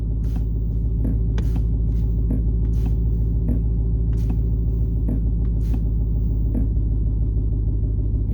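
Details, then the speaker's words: 2020 Dodge Challenger Hellcat Redeye Widebody, about 4300 miles, engine idling in park: sharp uneven clicks felt and heard in the shifter whenever the brake is pressed, also in neutral, not in reverse or engine off. Cause unknown. "hear that clicking [Music] every time I press on the brake"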